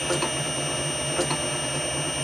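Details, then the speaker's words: Motor on VFD with carrier frequency (parameter F07) turned down to 3: piercing steady high-pitched whine over low mechanical hum, almost unbearable; low carrier frequency causes the whine. "we find if we Bank this right back down so say three and press enter again it gets a whole lot worse I mean that's that's almost unbearable"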